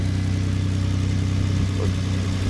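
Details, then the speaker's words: 2006 Hyundai Azera 3.8L after fixing a bad ignition coil that blew the coil fuse and caused crank-no-start: smooth, even idle with a steady low hum, no misses or stumbles; normal idle. "Look at that. It is alive. If this popped, it wouldn't be running."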